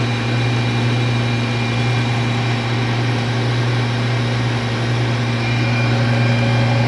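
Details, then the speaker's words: Clausing Colchester 13x36 lathe on a 3 hp TECO Westinghouse VFD from single-phase 240V, testing lead screw, thread half nut and cross slide feed: even constant hum with smooth gear whir, no knocks or grinding; normal lathe running. "Thread dials working. Man, she really sounds good."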